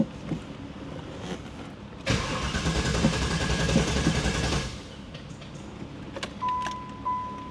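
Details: 1995 Pontiac Firehawk, 5.7 LT1 with T-56 six-speed, sat over 10 years, exhaust off: a couple of seconds of uneven starter churning but the engine never catches. Crank-no-start after it had run and quit; owner suspects a short.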